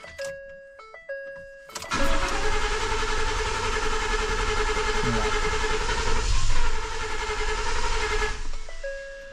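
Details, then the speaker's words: 2014 Ford F150 with ongoing misfire, just fitted new intake tube, filter off: starter churns steadily about six seconds but engine never catches; crank no start, owner next swapping back original mass airflow sensor. "good tried it tried it almost I thought it was about to fire off there for a second last [Music] try no"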